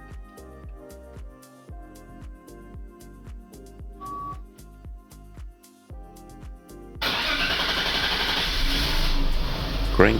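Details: BMW 7 E38 728i, 1996 M52 engine, LPG-converted (starts on petrol, then switches to LPG): starter churns steadily about four beats a second for roughly seven seconds before catching; long cranking, no codes, crank sensor replaced without effect, fuel system suspected.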